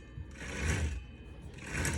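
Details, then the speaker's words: 36-foot Hatteras yacht Hynautic hydraulic steering, refilled and re-pressurized after fluid loss from a slow leak at the rudder cylinder, being bled: whirring helm pump surges, the wheel stiffens and the sound changes as air purges. "it's getting a little bit harder and notice the sound changes in in the in the pump up see air"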